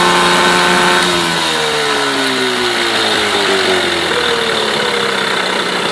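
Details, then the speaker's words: Mercury 8HP outboard, bought used after sitting unknown time, first start test in a water tub after carb cleaner; revs ease from a fast buzz to a steady even idle with no misfires or knocks; runs healthy, pumping plenty of water. "wow not bad at all quite impressed to be honest I didn't expect it to"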